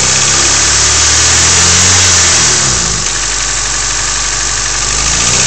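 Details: Honda EF sedan D15 engine at steady idle with a quick regular tick about four per second, following engine speed; owner unsure whether lifter tick or knock.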